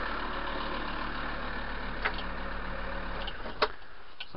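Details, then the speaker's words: VW T4 van diesel just after replacing a cold-killed 40Ah starter battery with an 80Ah Bosch, first start in about three weeks: low, steady idle with even beat, no misses or knocks; running normally. "give it a turn fires up straight away so say last down round it was literally as soon as I turned the key the lights would just cut completely on the dash so that's the first time it's fired up in about the last three weeks or so"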